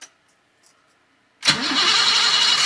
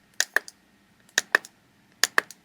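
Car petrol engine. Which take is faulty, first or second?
first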